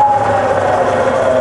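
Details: Rebuilt Bridgeport mill, variable speed head, 240V single phase, high range, spindle in reverse at about 1000 rpm slowing toward 500: steady even hum with clean tone easing lower, smooth and quiet; healthy spindle.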